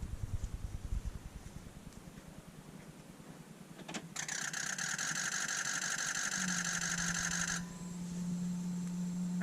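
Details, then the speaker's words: Ford 6.0 diesel with crank/no-start, after oil change with additive: even cranking near three beats per second with crisp injector clatter returning, then steady tone; oil pressure built, injectors firing, oil change fixed it. "that was it so we are now building pressure finally let's see if we can get her started"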